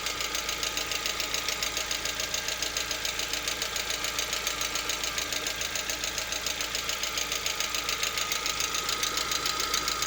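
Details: Lada Vesta, 64,000 km, warming to around 50 °C: steady sharp ticking knock about two per second over light idle hum; no knock cold or at operating temperature, cause not identified.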